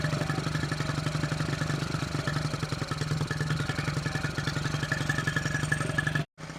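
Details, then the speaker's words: 1974 Honda XR75 small single, idle jet changed 38 to 35, fuel screw at 3/4 turn out: fast steady idle never settling lower; idling high and wanting to idle up, cause not pinned down. "Idling kind of high. By idling it down and it's still wanting to idle up."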